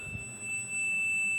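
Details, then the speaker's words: Yamaha RX-V475 amplifier with no sound and no HDMI: steady continuity-meter beep showing a dead short on the 3.3 V DSP supply section (feed via L602, Q401 in path), with a shorted PCM9211 DSP IC suspected. "Short दिखा रहा है आगे भी हम check करेंगे हमें जो है सिर्फ और सिर्फ इसी सेक्शन में शॉटिंग दिखा रहा है 3.3 डीएसपी"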